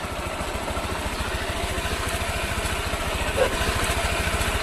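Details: Honda Click 125 V3 scooter idling after an oil change at about 2,000 km, engine had felt rough before: steady, even low putter, constant beat, no knocks or rattles over street noise; normal idle.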